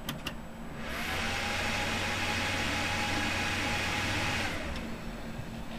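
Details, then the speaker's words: Motherboard that played dead until the northbridge was pressed, after reflowing the northbridge chip: fan whirs up to a steady hum for about four seconds and winds down; starts on its own, normal startup. "starts right up"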